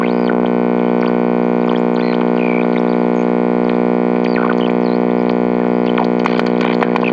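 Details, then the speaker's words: GE H-500 tube AM radio switched on untouched: loud constant mains hum with whistle and static sweeping as it warms up; owner suspects bad filter capacitors. "So wow, holy crap, have I actually run into one of these radios that had bad filter capacitors? I think so."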